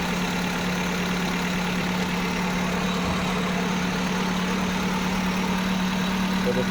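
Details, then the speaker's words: Maruti Suzuki WagonR just started after overheating/head gasket work, plain water in cooling system: steady, even idle with a constant low hum, no knocks, misses or hiss; no coolant bubbles seen. "सो दोस्तों हम लोग गाड़ी अभी start करते हैं। तो दोस्तों गाड़ी स्टार्ट हो गया है।"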